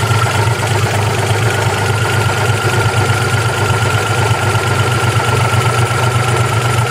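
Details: 1992 Geo Metro LSi 1.0: loud idle with an irregular, lumpy pulse and a faint high whine over it; the small engine idles rough.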